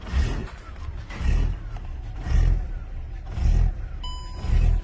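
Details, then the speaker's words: 2007 Volkswagen Jetta just after start: the idle swells and sags about once a second, a steady hunt. This is a very bad idle surge, cause not yet found. "blem on this car here is very terrible idle."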